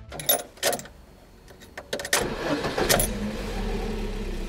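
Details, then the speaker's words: Engine restarted after replacing a leaking oil pressure sensor: a few clicks and rattles, brief crank, then it catches cleanly into an even idle; oil pressure warning lamp goes out and stays off after warm-up. "Лампочка после пуска гаснет, и главное, не загорается и после прогрева двигателя."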